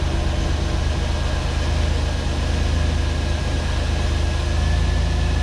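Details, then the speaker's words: 1989 Pontiac Firebird 2.8 V6, untitled since 1991, first start after a fuel pump replacement with a rusty fuel tank. A heavy, lumpy drone with a faint whine; it runs, but not well. "Running, not running good, but it's running."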